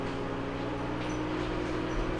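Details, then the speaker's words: LG WM0642HW front-load washer with a squealing complaint, in diagnostic test mode at highest high-speed spin RPM: steady even hum with faint rising motor tone, no squeal or rubbing heard at this stage. "so right now we have achieved our our highest RPMs on the the high-speed Spin and I don't hear any noise right now"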